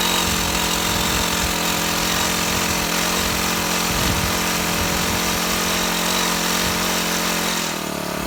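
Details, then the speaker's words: Shindaiwa HT2510-40 hedge trimmer with a C4 low-emission hybrid four-stroke, customer complaint of no power, test run after clutch replacement: runs terrible, ragged and uneven, never reaching clean speed. "Okay, it runs terrible. going to have to go in the shop and check some things."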